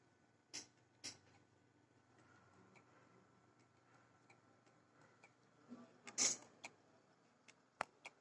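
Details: Toshiba 1TB hard drive: sharp, irregular clicks about every second with no smooth spin-up in a quiet room. The cause is not pinned down.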